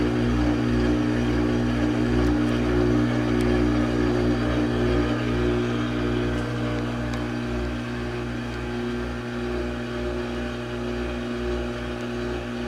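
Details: Brand-new Samsung washing machine, only a couple of days old, pumping out water: a loud, steady drone with a coarse grinding rasp and heavy vibration every time it drains; noisy drain pump, cause unknown.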